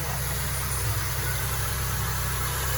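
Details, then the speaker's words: Peugeot Partner after a timing belt change, with the tensioner bearing and idler pulley bearing found faulty and replaced. Idle is smooth and even with no whine, rattle or chirp from the belt side, and the noise is gone. "suaranya nih udah normal ya. Berarti lahar tensioner sama lahar panbel rusak, kalian diganti timing belt. Suaranya sudah halus."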